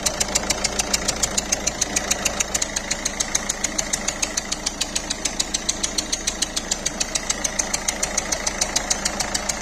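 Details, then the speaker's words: Peugeot 3008 1.6 eHDi 112 hp diesel at idle, engine bay: sharp regular chuffing tick about twice a second over diesel clatter, worse when driving, with smoke and exhaust gas from under the hood; suspected leaking injector seals. "Alors quand on entend ce bruit et qu'il y a de la fumée qui sort un petit peu du capot, eh ben, je pense à des joints d'injecteurs."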